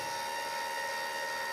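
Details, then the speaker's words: Light-sensing chicken coop door opening, driven by a 12 V solar-charged linear actuator, after a delay while the sensor confirms daylight. Steady, even mid-pitched motor whine with no knocks or stalls; normal actuator operation. "It takes a little while to confirm that it is indeed light. Now you hear the door going back"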